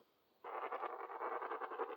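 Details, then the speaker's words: HO slot car rear axle rolled slowly by hand on a box that amplifies sound: fast, rhythmic fluttering rasp pulsing unevenly each turn, a wobble from a bent axle. "then the other test here's a the back axle now you can really hear that wobble sound listen to that all my back axle everything's jacked man should have never did that video"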